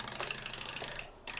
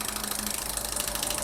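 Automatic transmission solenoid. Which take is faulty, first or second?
first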